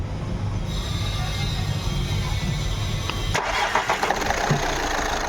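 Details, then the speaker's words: Skoda Rapid diesel after fixing injector no. 4 fault (current fault, refitted, air bled): short crank, then catches cleanly and runs evenly with no misfire; glow plug light no longer blinking; healthy start after repair. "को start किया है आप लोग देख सकते हो जो पहले मिसिंग कर रहा था अभी मिसिंग नहीं कर रहा है"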